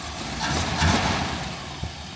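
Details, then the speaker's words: 1964 AMC Rambler Classic six, warm after running a couple of minutes on a warm day: a soft, even idle with a steady low rumble and no knocks or misses; it runs nice and quiet. "Idling nice and quiet. Been going for a couple minutes now, so I'm going to try to back it up, see if I have any luck, and then make it into the garage."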